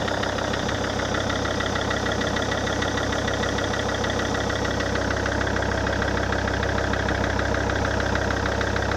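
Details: SsangYong Rexton 2 diesel after a major engine overhaul: steady, rapid knocking clatter at about two beats a second over the idle, a knock that persists after the rebuild.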